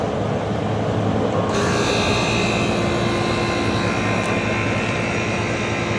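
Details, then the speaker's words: Vintage GM Frigidaire 220V 16,000 BTU room air conditioner, first run on a very warm day, set to low cool with the thermostat up: steady fan rush, then the compressor kicks on with a bright hum and hiss; normal compressor start. "So I'm going to throw it on to low cool here. See if the compressor turns on."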